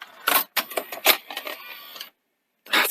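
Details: 1982 Sony SL-C6 Betamax deck after overhaul with new belts and idler tyres; quick run of light mechanical clicks and whirs then a clean final clack as the cassette ejects smoothly; normal eject.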